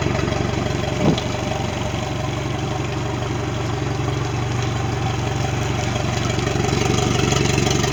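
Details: Mercury 90 hp outboard on a Suntracker after a no-start issue, final running check: steady even idle with regular low pulse, one brief clunk, no stumbles; normal idle.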